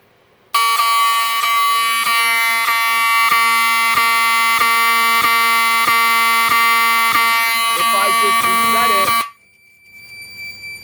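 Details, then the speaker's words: Wheelock 7002T-24 horn on a panel that supplies filtered DC: loud pulses about every 1.5 seconds with a clean, steady buzz and no scratchiness; normal. "if this thing was operating off of full wave rectified current it would make a really scratchy sound but the way it sounds it sounds normal and it sounds really clean"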